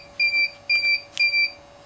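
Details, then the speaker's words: Salvaged Tripp-Lite UPS converted to a solar portable power pack on Milwaukee M18 batteries, AC input cable removed: shrill beeps about twice a second, on-battery warning that mains is unplugged. "You can hear the beep. What that means is it's saying that the UPS is unplugged from the outlet, which it is, because I already removed the AC connecting cable right here."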